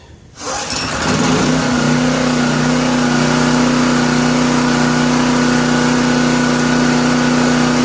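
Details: Classic Honda 2500 W generator, sat over 4 years, started after oil change with fuel and switch on, no choke: fires within half a second and settles into a steady, even hum with no misses or knocks; running smoothly.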